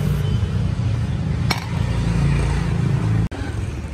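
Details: Piaggio Liberty 125i scooter, previously weak and vibrating, after CVT clutch work and cleaning a very dirty fuel injector: low, even putter at steady idle with only a brief clink; it runs smoothly and sounds healthy.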